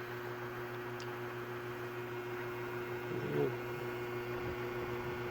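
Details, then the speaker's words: Scratch-built Leslie speaker cabinet in a 16-space rack: constant low buzzing drone at a fixed pitch over the motor hum; a vent panel not tight to the case vibrates, and pressing on it stops the noise. "it's that vent that vent isn't tight tight enough to the case and the vibrations are creating the noise because when I press on it it goes away"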